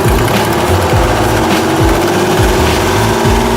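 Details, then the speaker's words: Car idling with a sharp repeating tick over engine hum, very loud, from an exhaust manifold leak; before repair of the manifold gasket. "so as you can probably hear there is a tick right about there"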